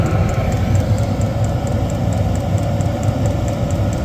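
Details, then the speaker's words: Newly installed diesel heater on a lorry at first firing: the fuel pump kicks in and it ignites, then a steady rushing fan roar rises in speed with quick, even pump ticking. It runs normally and produces heat. "Now, this should ignite now. And we should have the fan speed come up considerably more. And it sounds like it's just ignited now."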